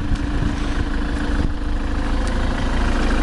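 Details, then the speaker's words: 2010 Ford Transit 350 Jumbo van at idle: steady, even low rumble with no knocks, misses or hunting; nice, smooth, healthy idle. "As you can hear, it's sitting ticking over. Nice, smooth, steady idle."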